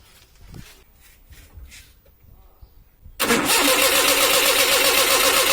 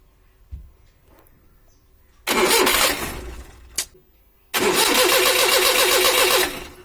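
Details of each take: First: Maruti 800 that would not start on petrol, after the petrol solenoid valve was replaced: near silence, then it catches at once into a steady fast idle as petrol now flows. Normal start; fault resolved. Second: Maruti 800 petrol, won't start on petrol: two bursts of starter cranking, never catches; no fuel out of the petrol solenoid valve, so the solenoid is faulty and being replaced.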